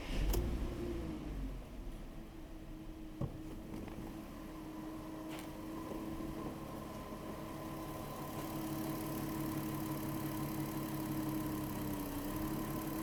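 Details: VW Touareg with a low oil pressure warning, two HC-oil-based flushes just added before a drive: steady even idle, low drone with a faint constant whine, no knocks or misses; normal idle.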